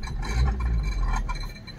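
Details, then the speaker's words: Suzuki Baleno at idle: low steady hum with light clinking taps as the engine shakes; the exhaust silencer is touching the body and rattling. "फिर से एक बार of जो आवाज़ है यहां पर silencer छू रहा है इसकी वजह से ए रही है"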